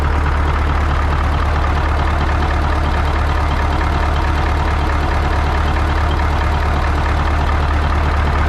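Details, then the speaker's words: 1980 Peterbilt 359 EXHD with Caterpillar 3408 diesel, left sitting for years, lights right off and builds air; deep steady low rumble with an even beat, no misses or knocks, idling smoothly after starting. "Oh, yeah. Perfect. Wow. Holy shit, fellas. It just lights right off."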